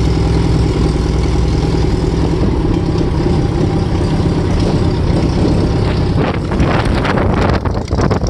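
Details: VW Type 1 air-cooled flat-four, first run after fitting new valve adjustment screws: even idle, steady low chug with no tapping or clatter from the valve gear; normal idle.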